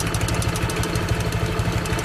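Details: Honda Click 160 scooter idling on the stand: a loose, uneven metallic rattle from the CVT/belt side over the low engine beat; the source is unknown.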